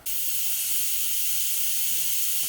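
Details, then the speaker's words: Wastegate bench demo on a 3-port MAC valve setup, compressor air fed to the wastegate: steady high hiss of air flowing that never settles, leaking a little through the diaphragm, which typically shouldn't leak. "so there we have air coming in. You can hear it flowing. It's actually leaking a little bit through the diaphragm."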